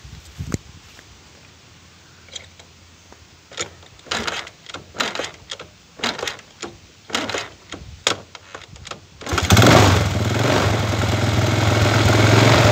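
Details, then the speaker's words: Chinese 125cc kick-start engine with iron cylinder, testing one of several 5-wire AC CDIs: about a dozen kicks, catches near nine seconds and settles into a steady idle; starts easily on this CDI, though its timing later measures very retarded. "bueno entro de todo este arrancó bastante fácil"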